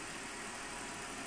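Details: BMW E39 petrol engine idling while warming up after a two-and-a-half to three-hour garage repair job; quiet steady idle with even beat, no knocks or ticks, running normally.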